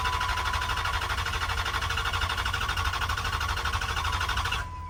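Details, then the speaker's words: 2010 Dodge Charger during revival, cranking before fuel is added and before the intake piping and catch can go back on. Even, steady cranking about three turns a second with no catching or clanking; normal cranking. "So much better. So much better. Holy crap, that sounds great."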